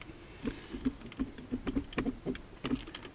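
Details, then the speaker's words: HEXA hoverboard used a few weeks, shaken with shell still closed; irregular light metallic ticks and jingles from loose screws rolling inside, which could compromise electronics or cause fire. "yeah we get some screws bouncing around here it will certainly compromise some electronics sooner or later"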